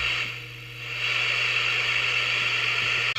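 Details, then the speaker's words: PE Ranger 1981 6-channel 500mW crystal-controlled CB27/81 transportable, receive alignment: loud, even hiss with no signal, steady apart from one short dropout, as L106 and L107 are adjusted per the manual; receiver noise peaked after alignment. "So that we will do. (106), 107. Sounds like maximum noise to"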